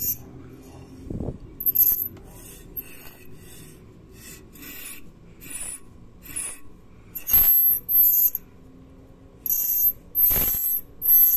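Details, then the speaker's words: Irregular bursts of shrill metallic scraping and high squeal when the brake is applied, traced to a brake spring catching at the back; moving the spring down stopped the noise. "e é justamente a mola que tá pegando aqui agora dá para ir mais claramente que a mola pega bem no fundo aqui"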